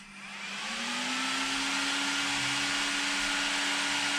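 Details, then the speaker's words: Off-road RC car build after ESC calibration: at power-up a small cooling fan kicks on automatically, whirring up over about a second to a steady, even whine; normal fan operation. "so I'm gonna power this thing up and a fan should kick on automatically"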